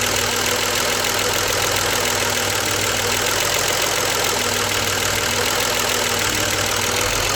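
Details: BMW 635CSi E24 being investigated for rough idle at cold and warm start, after the air hose was refitted to the throttle body (ICV) and the engine restarted warm at about 80% operating temperature: an even, steady idle with no hunting or stumbles. It previously stuttered or stalled on throttle.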